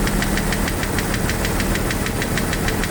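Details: Jeep YJ 4.0 idling: a light, quick ticking of roughly three per second rides over a steady idle and tracks engine speed. Owner doubts it is a lifter; source not identified.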